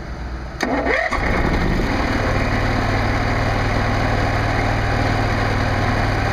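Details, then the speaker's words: Generac NP-52G RV generator at 490 hours, just after oil and filter change: quick crank, fires easily and settles into a steady, even idle with no misses or knocks; normal start and idle. "Yeah, it fires up really easily and it sounds really good running."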